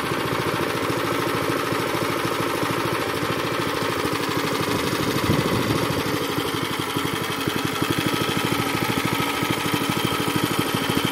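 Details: Zipper plate compactor previously smoking, running unevenly, stalling and lacking power, now with a cleaned fuel system and a strainer fitted: steady, even single-cylinder thumping with no skips or surging, the repair judged successful.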